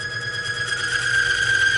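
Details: Oil film-strength lever tester under slowly increasing pressure: steady piercing squeal near 2 kHz over motor hum, rising slightly then cutting off as the oil film breaks down, near 90 ft-lb.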